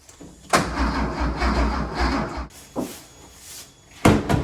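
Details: 1973 Porsche 911T sitting since 1998, cranked on a known good battery: short bursts of starter whirring with a slow uneven chug, turning better but no firing; distributor rotor later found missing; cranks but no start.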